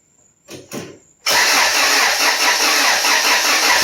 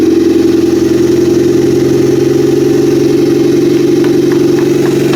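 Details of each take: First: Built Honda F23 turbo engine, first start after rebuild: short cranks, catches to steady idle under loud high hiss; vacuum leak suspected, fuel leak found and power steering fluid low. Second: Freshly built Honda F23 turbo engine on its first real start: steady, even idle with a firm low hum and light ticks after a fuel leak and vacuum leak were noted. Power steering fluid was low. Heat-cycle break-in of rings and cylinder walls is next. Normal idle.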